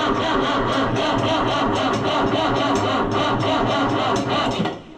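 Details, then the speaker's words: Oliver 1365 (Fiat 640) diesel tractor after fuel filter work, on a jump pack that was not charged: the battery drains and the starter drags slowly and unevenly without catching. Slow crank, no start. "Yeah, that really sucks the juice out of it."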